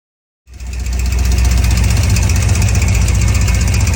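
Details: 2003 5.3L LS V8 in a food truck on a Holley Terminator X Max; it earlier ran so rich without an O2 sensor that it fouled every plug, and the plugs were cleaned. It catches after a short crank and settles into a deep, even idle, now running normally.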